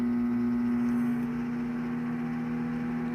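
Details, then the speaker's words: Midea MM20 microwave oven after replacing the turntable motor: an even, steady hum at one fixed pitch with no grinding. Normal running, much quieter than the earlier ugly noise. "se você não faz barulho tão feio como que tava já melhorou bastante entendeu"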